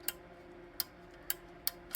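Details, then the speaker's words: 2.5-gallon electric water heater thermostat, which earlier spun without clicking after the plug fused to the extension cord: five crisp clicks over a faint hum as the internal switch snaps over properly. "So that's the internal switch turning. Now, if you move this a little bit, or it gets hot and it expands, it stops clicking."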